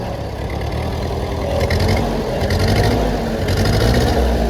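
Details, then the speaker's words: Old 8N or 9N tractor used for towing and plowing, idling: an uneven chugging beat with the odd dropped firing stroke, a slight miss. The owner suspects it needs spark plugs; it otherwise runs well. "So yeah, she runs like a charm. She's missing a little right now. I think she needs some spark plugs, but yeah, she runs pretty good."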